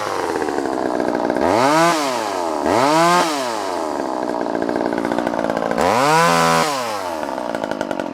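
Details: Vintage Poulan 1800 Woodsman chainsaw, sharp chain, original 12-inch bar: crisp two-stroke snarl climbs cleanly on each throttle blip and settles smoothly between cuts; healthy, strong running.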